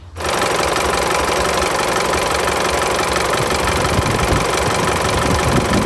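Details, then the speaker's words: Isuzu pickup diesel idling: busy, uneven rattling flutter from the engine front as the AC compressor belt shakes heavily even with the AC compressor off; loose belt, initially unsure whether belt or compressor clutch. "สายพานตัวนี้นะครับเขาเขาสั่งมากใช่ไหมครับแม้กระทั่งคอมแอร์เนี่ยไม่ทำงานนะครับสายพานเค้าก็ยังสั่นอยู่เลยนะครับ"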